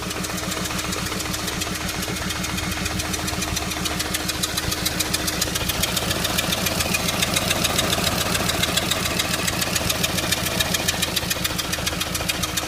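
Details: Audi A3 idling with a regular ticking stumble about three and a half pulses a second over the engine note; misfire persists after coil pack was changed and compression checked good, cause not yet found.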